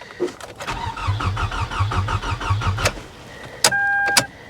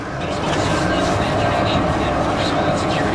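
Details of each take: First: Salvage-auction C4 Corvette suspected to have been sabotaged, on a jump pack: brisk, even starter chugging about six beats a second for two seconds, never catches; cranks well but won't start, owner thinks the cause isn't major. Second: 1995 Chevy Corvette with a 5.7 350 V8 at a salvage auction, jump-started and started with the key: a steady, even low rumble with no knocks or misses, running good.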